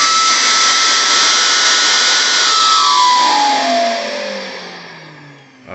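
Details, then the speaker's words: Vacuum with shortened hose: loud rushing roar with high whistle sliding steadily down in pitch as motor spins down after switch-off, worse with shorter hose; whistling vacuum hose. "hope the camera picked that up so the noise if anything is worse with a shorter hose"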